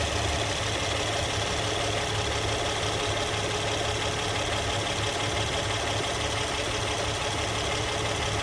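Smooth, even idle with a steady hum and no ticking, rattling or whirring over it; engine and belt drive sound healthy.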